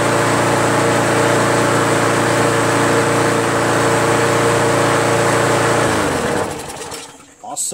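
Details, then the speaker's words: Craftsman push mower, Briggs Quantum 4.75, after carb clean and new carb gasket and seat: steady even drone at correct speed, shut off after six seconds; previously sluggish with high rpm, now right; loose top cover rattles. "damn runs good huh sounds great now before I was sluggish and those rpms were high now it's just right"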